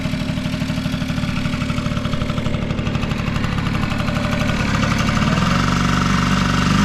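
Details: Vintage Honda Squash (AB11-1064) 12V moped with electric starter, running test: even, steady putter at about four pulses a second with no knocks or rattles; no abnormal engine noise, healthy quiet idle.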